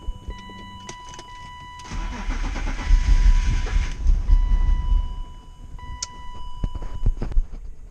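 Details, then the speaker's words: BMW E36 M3 after a new fuel pump install: the starter turns, the engine catches and runs rough for a few seconds, then stalls. Priming fuel pressure is 10 psi instead of 40; owner plans a new fuel filter and pressure regulator. "so it turns out i wasn't getting enough fuel pressure during priming it's supposed to be 40 psi and i was only getting 10 so i'm gonna get a new fuel filter and a fuel pressure regulator to make sure that those aren't the issues"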